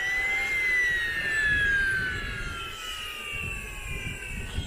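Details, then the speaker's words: Model turbine engine spooling down: falling whine with rough glassy grinding rattle underneath; gearbox bearing ruined after a blocked restrictor starved the second-stage bearing of fuel/oil, bearings being replaced. "Sounds like a load of glass again."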